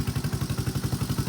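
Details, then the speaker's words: 1986 Honda Fourtrax TRX 125cc ATV, electric start, original exhaust, after a light cosmetic restoration with the engine untouched: a steady, even low single-cylinder thump at idle with no misses or knocks; runs like new, no smoke. "runs like new no smoke uh mostly well i didn't take it apart or do anything with it because it runs so good"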